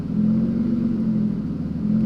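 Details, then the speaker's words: Aston Martin V12 Vanquish (about 450 hp), not started in a while so initially a little lumpy, revved: smooth, even twelve-cylinder note swelling and settling without misses or knocks; sounds amazing, slightly less refined than the 510 hp sibling engine; normal revving. "that sounds amazing and this engine is very very similar to the engine in that car except it's a little bit less refined"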